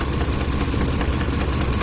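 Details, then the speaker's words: Ford F-150, hot engine: sharp, regular ticking about ten per second from the top of the engine, loud enough to hear from inside the truck and appearing only when warm; owner suspects the left-side camshaft or a chain. Cause unconfirmed. "oh it sounds like a chain thing if this is a chain that's more like a chainsaw but then this only happens when the Tattoo's up it's more like all the time so I don't know let's see this happens only when the truck heats up oh she's very loud so wow that's really loud like you could hear it from inside the truck"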